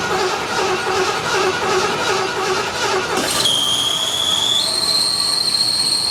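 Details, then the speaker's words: 1975 Ford LTD abandoned about 28 years, first start on fresh gas: right after firing a steady piercing squeal sets in and steps up in pitch; source unclear, owner guesses alternator charging. "Wow. I don't know what that noise is. That means the alternator charging"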